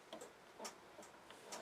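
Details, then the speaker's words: Motorhome room-heater thermostatic control (inner dial) being turned: light sharp clicks scattered over two seconds in a quiet room as the thermostat switches on and off normally. "the inner Dale is your thermostatic control for the room temperature okay is you turn that sometimes you can hear clicking on and off you come there"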